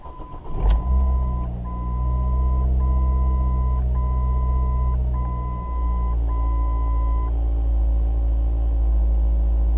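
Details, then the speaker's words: 2006 Ford Focus, 180,000 km, heard from inside just after starting: steady low hum at about 1500 rpm fast idle with a dash chime and the usual Ford rattles and vibrations; smooth, no hesitation, and revs up willingly. "It's got the usual Ford rattles and vibrations. That's because it's at fast idle right now. It's revving around 1500 RPM."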